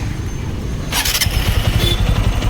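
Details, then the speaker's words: TVS Apache RTR 200 4V at idle, not revved, recorded by phone: steady idle with a quick, even ticking clatter that a newcomer might mistake for engine trouble; owner notes tappets loosen quickly and slight tappet noise has begun; normal valvetrain clatter. "जो आप देख रहे हो ना भाई, ये अभी मैं रेस नहीं कर रहा, आइडियल पर है इंजन। आइडियल पर इसकी थोड़ी सी ऐसी आवाज़ होती है जैसे कि नवा बंदा अगर सुनेगा उसको लगेगा इसके इंजन का काम हुआ होगा।"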